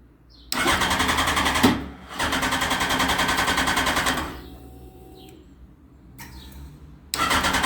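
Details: Yamaha FZ1 after a valve clearance adjustment, with a brand-new battery: two long bursts of quick, even starter cranking that never catch, then silence; cranks but won't start, cause unknown.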